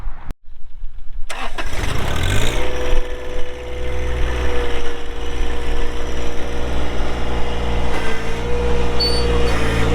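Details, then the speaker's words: 2012 John Deere 1023E 4WD hydro compact diesel tractor, 370 hours, hood shut; cranks briefly, catches fast and settles into steady even diesel idle with constant low drone; normal start and idle. "We'll get that hood shut, we'll fire it up and get right into an operational video."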